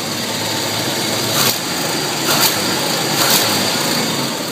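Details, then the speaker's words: 1986 Chevy S10 2.8 V6 at idle: fast, light ticking knock like a card in bicycle spokes, with louder bursts, too light for rod knock; has a header leak and two broken manifold bolts; owner suspects the clutch, noise changes with pedal. "it sounds like when you used to ride a bicycle and you had the the card in the spoke and it's like when you drove i thought maybe it sounds i felt a rod knock but it's too light to be a rod knock as i was thinking the card card trick and the bicycle"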